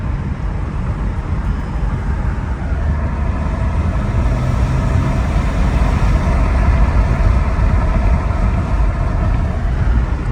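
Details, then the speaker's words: Mercedes E320 CDI turbo diesel on first test drive, about 50% throttle: steady diesel drone building smoothly with road noise, no knocks or whistles; engine and turbo pulling cleanly, no check engine light, temperature good. "I'm going to give it about 50% throttle over here this sounds amazing amazing listen to this oh sounds so"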